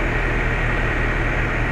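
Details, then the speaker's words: House AC condenser newly replaced in R22-to-R410A upgrade, finished unit running: smooth constant compressor drone under soft fan whoosh, nothing irregular; healthy, no issues. "all right there it is finished product running like a charm no issues"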